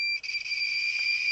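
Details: A shrill, steady, almost unbroken high-pitched electronic beep, the week's mystery beeping. Its source and cause are unknown.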